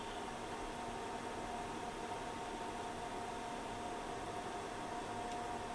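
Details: Tektronix TDS360 200 MHz two-channel digital oscilloscope after repair and brightness/contrast adjustment: quiet, steady airy fan whir with faint constant tone, no rattle or bearing noise; fan running normally.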